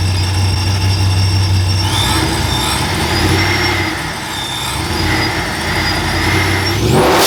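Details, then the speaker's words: Ram with newly installed TorqStorm supercharger, intercooler and blow-off valve, at first start-up: deep V8 burble swinging up and down with each blip, clean supercharger whine rising alongside; healthy, strong-running blown engine. "holy [ __ ] guys frostbite sounds ridiculous like oh man I am got the biggest goosebumps right now"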